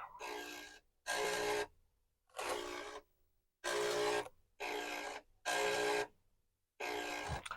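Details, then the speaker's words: Commodore 1571 disk drive being woken from storage: ratcheting clatter in half-second bursts as the head steps across tracks, loud enough to wake someone, and the owner thinks lubrication is needed. "but I do think definitely some lubrication may be required because this thing I if you were running a bulletin board and this was doing stuff in the middle of the night it might be likely to wake you"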